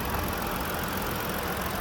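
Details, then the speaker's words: 2017 Ford Explorer Police Interceptor 3.7 V6 at idle, hood open, no check engine or warning lights, low on fuel: even, steady idle with a smooth low hum and no knocks or ticks; running normally, like every Ford 3.7. "Sounds just like every Ford 3.7."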